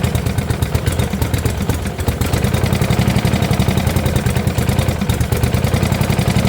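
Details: 1972 Gravely 816 with Kohler Command 18, running after carb modification: fast rhythmic clattering knock over steady idle, suggesting a failing lower end. Cause not confirmed; motor judged pretty much blown up, likely why parked; power steering not working.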